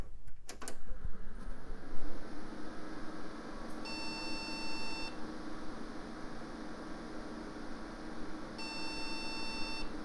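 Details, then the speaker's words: AMD Athlon XP custom PC stuck at POST code 04, speaker connected: two long, even beeps about five seconds apart over fan hum; slow beeping means memory error, one RAM stick suspected bad. "okay slow beeping that means memory error well let's investigate that Ram"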